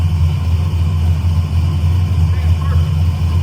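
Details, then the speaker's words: Carbureted V8 in newly installed engine, carburetor mixture readjusted for different air, wideband reading on target: deep even rumble, steady beat, no stumbles or misses; normal idle, idle quality changed after mixture change. "If you paid attention, you can hear the the idle quality change, too. Uh cuz I had to change the mixture."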